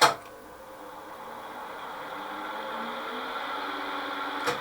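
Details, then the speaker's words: Kearns Richards S-type horizontal borer, three-speed main spindle motor on high speed at first power-up: steady hum with a strained, uneven drone; drawing heavy current, suspected missing phase, unconfirmed. Motor labouring at high speed. "now there's a problem with the motor on the high speed i think there's a sounds like there's a face missing because it's drawing an awful lot of current you can hear it it just doesn't sound right"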